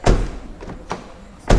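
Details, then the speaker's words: Subaru Legacy front door shutting: a loud, hollow, booming thud that rings briefly from a door with no sound deadening and no door card, louder and boomier than the driver door treated with Focal BAM and Dynamat. "Right, so that officially calls that door Dunners. That's how it sounds closing."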